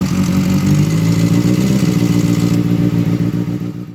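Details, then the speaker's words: 2007–2008 Kawasaki ZX6R at idle: fast light "tick tick tick" that keeps pace with engine speed, from a slack cam chain tensioner, before the tensioner was removed, reset and reinstalled. "So today we're going to attempt fixing the cam chain tensioner. It's got a lovely little tick tick tick sound known as the cover tick. It sounds terrible."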